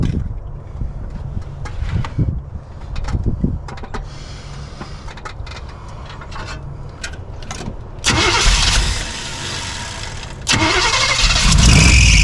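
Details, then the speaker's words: 1976 Chevy K10, former mud truck parked about 10 years, after first start: old V8 settles into a low, even idle with steady firing pulses, then picks up with a couple of revs; timing suspected slightly off, otherwise decent engine; normal idle. "Earlier, I was a little worried, but actually sounds like a decent little engine."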